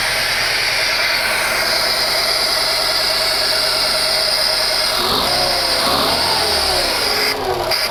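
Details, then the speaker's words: Fiat Panda CLX engine after reassembly following cylinder head problem, first start, airbox not yet fitted: loud, even running with a clear rev rise and fall, no knocks or misses; normal running. "Seems like it's running for now. Seems like it's running just fine. So as you can hear behind me, it's maybe a bit loud here, but she runs."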